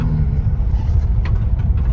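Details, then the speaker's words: 1991 Isuzu Big Horn Irmscher R coupe, 4JBT turbo diesel, warm, started on half a crank after sitting about five years: steady low rumble with even idle beat, no knocks or misses; strong, normal diesel idle. "no problems with this engine whatsoever very strong"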